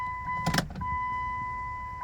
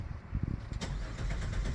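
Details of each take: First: 2000 Chrysler Sebring after fuel pump replacement, key-on priming heard from the rear tank: brief clunk, then a clean, steady high whine that holds evenly without surging; the new pump primes normally and the car then starts. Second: 2000 Chrysler Sebring that quit and only ran briefly on starting fluid, pump relay signal confirmed good. Starter cranks the engine evenly and strongly but it never fires: no start, traced to a fuel pump delivering no pressure.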